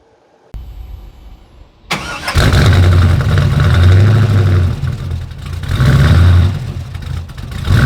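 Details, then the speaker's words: 1940 Ford truck after replacing damaged headers with new ceramic block-hugger headers: cranks and catches, then a steady even low idle with no exhaust ticking or puffing; exhaust sealed and quiet. "Everything's all sealed up now. Sounds good, nice and quiet, or at least as quiet as this truck gets."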